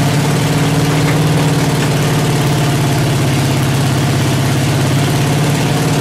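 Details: Freshly built 383 stroker on open headers, engine stand with water only, earlier run at 2000-2200 rpm for break-in, warmed to 210°F, idle not yet set: lumpy uneven idle with stumbling, spitting beats; rough idle.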